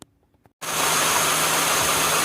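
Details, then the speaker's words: Smooth, steady idle hiss with no metallic clicking from a 2008 Toyota Sienna's accessory drive after new idler pulleys (Febest kit, Gates) were installed; any ticking heard comes from the engine, not the pulleys. The belt drive is normal. "There you go. New pulley. No clicking metal sound."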